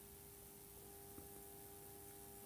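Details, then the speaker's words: Faint steady electrical buzz with fizzing hiss during a 3000 V AC insulation test on a lithium button cell charger's transformer; corona discharge, transformer holding up. "hear Corona discharge but it's made it three thousand volts it's making fuzzing buzzing noises but that is probably Corona discharge"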